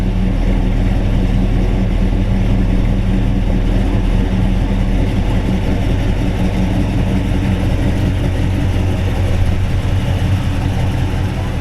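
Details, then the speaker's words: 1956 Chevy 210/Bel Air resto-mod, ZZ4 350 V8 with about 13,000 miles (35,500 on the car), 700R4, 9-inch rear: deep, even V8 idle with a steady low rumble and no knocks or ticks. Normal, healthy running. "Sounds great, don't it? We always like to do little segments like this so you can hear it run."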